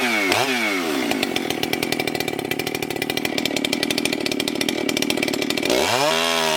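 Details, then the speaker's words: Husqvarna 394XP chainsaw, freshly rebuilt and ported, first shakedown runs cutting a large log: snaps up to a steady scream through the cut, holds revs without bogging, drops cleanly back. Healthy and strong; good compression; the low jet may be leaned slightly and the top end richened. "she's pretty good Justin would say uh I'm going to tune on the carb a little bit I believe the low jet could be leaned out just a hair and maybe riching it back up a little bit on top end"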